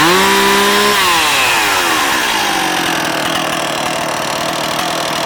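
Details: Stihl MS260 chainsaw with 18-inch bar and brand-new chain, ex-fire department, in good shape: a sharp high rev drops smoothly back to a steady, even two-stroke idle with no misses or rattles, running healthy.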